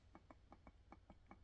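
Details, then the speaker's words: Creality Falcon 2 22W laser engraver gantry pushed by hand: light, evenly spaced clicks about six per second from a wheel loose on its rail; eccentric nut needs tightening. "hear that clicking so that wheel's not even great"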